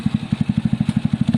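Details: Zontes motorcycle after fixing its bad idle and cutting out when coming to a stop: even, steady thumping about eleven beats a second, settling to idle with no stumble as the bike stops; engine holds, normal idle.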